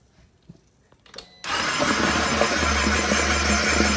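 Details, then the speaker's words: Flood-damaged salvage 2020 Can-Am XMR 850 first cranking after being pulled from water. The engine catches into a rough, steady run with a wet, bubbly gurgle: water left in an undrained intake snorkel hose. "Shoot, that sounds like some water in there. Alright guys, so we found out what all that gurgling was in our snorkel."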